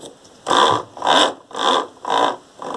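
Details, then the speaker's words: Washing machine squealing only during wash agitation, spin seems fine: regular squeal bursts about every half second matching each agitation stroke, with a thin high whistle; source unconfirmed. "na hora de lavar ela começa assim o chorinho né vamos ver se eu posso mostrar mais ou menos como que funciona esse chorinho com esse barulho esquisito que a máquina faz"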